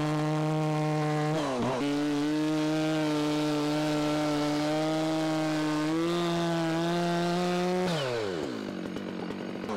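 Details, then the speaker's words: Stihl saw after sitting unused, cutting wood: strong high buzz dips under load and recovers, two-stroking in the cut and changing sound when pressure is let off; owner judges tune very close, maybe slightly lean, chain a little dull. "so it is very very close it may be just a hair on the lean side but two-stroking in the cut for cycling when you let off the pressure it's a change in sound"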